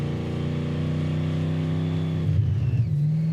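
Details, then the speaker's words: '86 Thunderbird with 302 V8, 6-71 blower and welded gears, on a winter road trip: a steady, even V8 burble with a brief dip and recovery after warming up; runs normally when warm. "go that runs good now huh maybe it needs to warm up see it wants to like run fine now"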